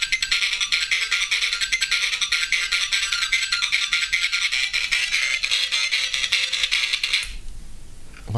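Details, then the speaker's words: Sega Game Gear after audio board work: game music blares harsh, tinny, all treble, clipped and far too loud, volume wheel not working; suspected bridged connection or poor audio board work, unconfirmed. "I think I might have bridged something because that sounds like somewhere there's a direct connection and it doesn't sound good what have we got crikey that was loud it's blowing my head off"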